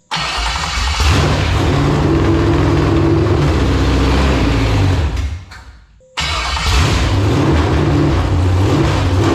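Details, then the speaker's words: Roughly 1999–2000 LQ4 6.0L V8 with iron heads, a marketplace engine from a shot truck, run with temporary exhaust fitted: it catches quickly and settles into a steady, even run with no knock or clatter, briefly dips, then picks back up cleanly; normal running. "man sounds good all right I just slipped some exhaust on here so I can kind of hear the engine a little better"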